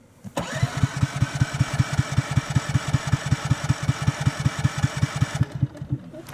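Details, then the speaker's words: Ryobi 2300 inverter generator, electric start button, about 10°F outside, warmed in a car beforehand: starter cranks steadily about two and a half pulses a second for five seconds, never catches; reluctant cold start. "It does not like to start in the cold. it's about 10F degrees outside and this thing is not a cold weather machine by any means."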